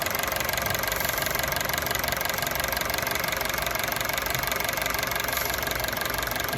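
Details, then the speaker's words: Honda City on CNG/gas, after replacing a leaking injector that caused stalling on gas, no gas leaks found: steady even idle, fine fast ticking over a smooth hum, no stumble or hiss; normal idle. "ตอนนี้หลังจากเราแก้ไขอาการเครื่องยนต์นิ่งไม่มีรั่ว"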